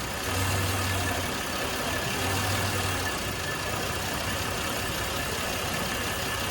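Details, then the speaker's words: Lab test with excess propane fed into the intake: petrol engine idles roughly with a lumpy, surging hum from an over-rich mixture, stumbling until it eventually stalls. "you can hear the rough idle takes a little bit of time but eventually with too much propane in the"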